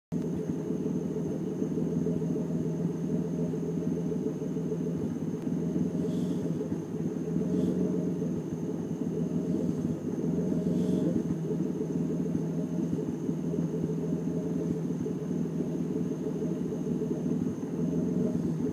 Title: E36 rough idle